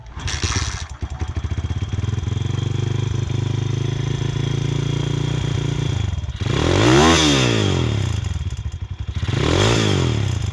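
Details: Pitster 140 engine in a pit bike right after a valve clearance adjustment for a suspected valve rattle; single cylinder idles fast and even, two clean throttle blips rise and fall smoothly with no ticking or missing.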